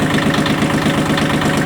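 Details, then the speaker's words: Yanmar YM1610 tractor diesel just started (stop lever had been left in stop position): even steady idle beat with no misses, knocks or hunting; engine runs smoothly. "Все, двигатель запустился, двигатель работает ровно."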